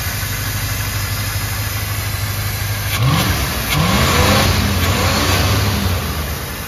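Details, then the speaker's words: 305 Chevy V8 on a two-stroke KX250 carburetor and homemade intake: catches into a rough, uneven low run, then revs up in bursts while flooding and puking fuel everywhere. "All right, well, as you can tell, she ran. Now, it was puking fuel everywhere,"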